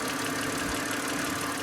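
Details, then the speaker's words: BMW running again after a $9 sensor replacement, at idle, hood open before a test drive: light, quick "tappy knocky" tapping in time with the engine over a steady idle; engine tapping, source not yet found. "It's kind of like tappy knocky."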